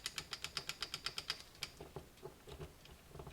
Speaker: then you want to turn your gear and then it'll fall right in like that now you should hear that clicking that's what that is